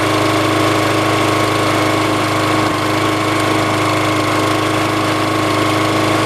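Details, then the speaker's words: Brand-new petrol lawnmower on its very first start: even, steady engine drone at constant speed with no misses, knocks or hunting; runs well. Run-in advice is about 15 minutes at varied, part throttle. "But that was pretty good. So once you start it up for the first time, it's good to keep it going for about 15 minutes, but not on full power, but just alternate, not idling, but in between."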